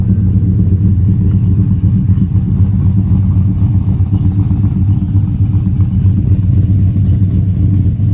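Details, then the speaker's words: Finished Chevy Silverado 1500 5.3L with Chopacabra cam, Speed Engineering long tubes and 3-inch single exhaust, 23 degrees timing: deep lumpy exhaust rumble at steady idle with choppy cam beat, running clean; normal idle. "Yeah, she sounds good. I'm pretty impressed with how this Speed engineering system sounds."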